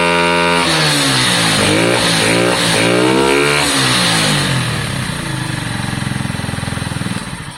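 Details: Lexmoto Valiant motorcycle after EFI-to-carburetor conversion, on stand: engine blips up and falls back cleanly, pitch rising and dropping smoothly, peaking higher than before; sounds better.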